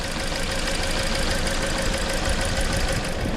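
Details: 2013 Toyota Corolla with intermittent misfire for a year, plugs, coils and injectors previously replaced; engine idles with an uneven, lumpy beat, misfire moved with the swapped coil, diagnosed as a bad ignition coil — ignition misfire at idle.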